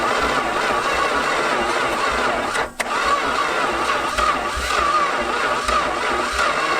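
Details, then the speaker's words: Abandoned 1970 Plymouth Satellite on its first start attempt in 35 years, on a starter freed from seized: slow, steady cranking for seconds with no firing. Slow turnover, weak starter suspected; a 1998 Dakota 318 starter is planned as the replacement. "i think we just need a better start kind of right now with how slow the engine seems to be turning over"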